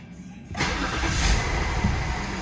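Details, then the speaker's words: 2004 BMW 525i after fixing cylinder 2 misfire that caused shaking (throttle body also cleaned); first start after repair, engine light not yet reset; brief crank, catches at once and settles into smooth, stable idle with no shake; normal start and idle. "does not shake there it is stable no shake success i have to reset the engine light now car idle's good thank goodness"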